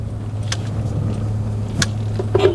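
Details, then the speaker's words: 2005 Suzuki Aerio facelift, manual, with a steady low hum under the engine and road noise while driving, not the AC compressor. A sound at startup is attributed to the fuel pump, possibly a non-original replacement. "dan ada suara berdengung ini sih bukan kompresor AC mudah-mudahan di microphone terdengar"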